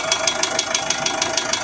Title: Isuzu 4JH1 Engine Knocking Sound